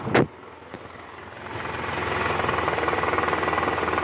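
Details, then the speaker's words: 2012 Toyota Camry 2.5 V, 2AR-FE engine, 167,000 km, just after start, AC on, shifting neutral to R: coarse diesel-like clatter about four times a second, loudest at oil pan, reduced in neutral; worn loose balancer shaft, apparently never replaced. "R kalau Netral suaranya berkurang nah ini indikasinya dari balanerap tadi kita sudah analisa guys bunyi yang paling kencang itu adanya di area panci oli mesin sini nih"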